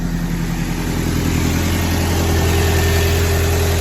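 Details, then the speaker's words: Audi A4 1.8 turbo, not run for about two years, crank no-start fixed with new coils, plugs and a replacement relay for a rusted one: engine catches right up and settles into a smooth, even idle with no misfire or stumble. "Now I'm gonna start her up. All right, so relay in. Started right up."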